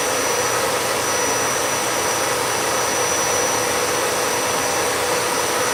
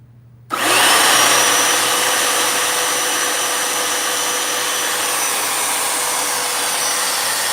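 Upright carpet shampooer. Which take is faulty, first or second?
first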